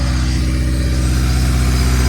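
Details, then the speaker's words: Built Honda D16Y8 in an EG Civic, first run after rebuild, idling several minutes without coolant, owner wary of overheating: deep steady drone with smooth even pulse, no knocking or tapping; sounds healthy. "Not bad at all."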